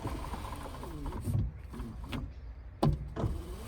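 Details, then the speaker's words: 1981 Jeep Wagoneer Limited, after sitting 20+ years: power window motor whirs in short, labored, stop-start bursts with crunching, suspected to come from old black plastic debris in the window tracks being forced through. Window binding in track. "So we're thinking inside of these tracks that pull the window up, a lot of that black crappy plastic has got down in there, and that's what we're having to bust through."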